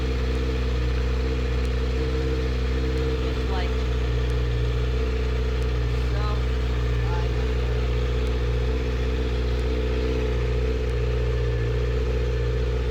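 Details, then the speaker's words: Kawasaki ZX6R inline-four being rebuilt, started right after draining water and filling coolant to purge air bubbles: steady, even idle with a low drone, no knocks, misses or surging; running normally. "I went ahead and filled up the coolant and now I'm gonna go ahead and start it up so the air bubbles go through"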